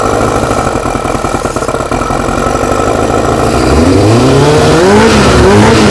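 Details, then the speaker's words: Four-cylinder carbureted bike, no air restriction fitted, choke off: steady even idle, revs climb cleanly with no stumble or misfire; owner happy, carbs not yet balanced; normal idle. "all right that's no choke that's no joke oh all right happy"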